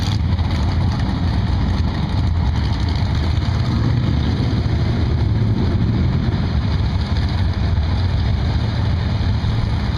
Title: Gateway Motorsports Park drag race misfire